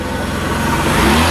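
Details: Mercedes W124 300E after fuel pump replacement: the engine pulls up smoothly and evenly with no knocks, misses or rattles. Normal running.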